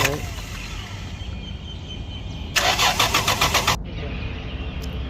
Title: Lexus GS /300 Crank No Start Security Light Flashing /B2798/Code Immobilizer.